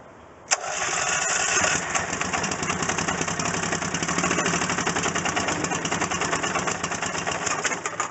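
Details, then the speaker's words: Rebuilt Briggs & Stratton engine on a Coleman Vantage 7000 generator: fires and settles into a steady, even chug with regular firing beat; healthy start, only needs fine tuning. "i'm glad that i got it to fire up like that that's exactly what i'm looking for that's exactly the sound i want to hear in a site that i want to see"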